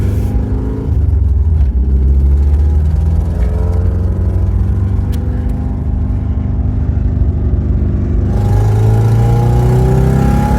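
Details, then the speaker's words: 4A-FE swapped 4WD Toyota Tercel wagon, new timing belt, 3-year-old gas, third-gear uphill pull; slightly uneven stumbling beat under rising drone; engine miss under load, owner suspects a bad plug, wire or manifold leak. "Sounds like it's missing maybe a little bit. I think I got a plug that might not be great, or a wire or something, but"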